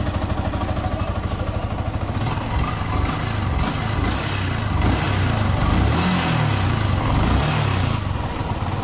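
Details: Yamaha R15 single-cylinder that was dead with weak compression, just rebuilt after something was found jamming the valves: fires steadily and rises smoothly through a few blips with an even beat and no misses or knocks; runs healthy after repair.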